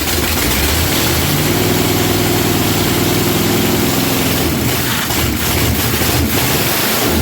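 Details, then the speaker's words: Junkyard-sourced 1977 Dodge RV 360 V8, test-run out of the vehicle on the ground after pouring gas down the carb: catches and settles into a fairly even, deep idle with steady firing, no knocks or misses. Normal running. "that don't sound too bad for an old junkyard motor somehow the starter wants to start spinning but she don't sound bad for an old junkyard motor hey that ain't bad at all"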